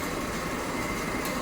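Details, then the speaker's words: Honda Civic, customer reported road noise: steady rough grinding with faint metallic jingle-jangle heard outside at the front wheel bearing as the wheel spins, no play found; badly worn wheel bearing. "you can hear some jingle jangling inside the uh that bearing over here I don't know if you can catch that but you can definitely hear it from a bearing here"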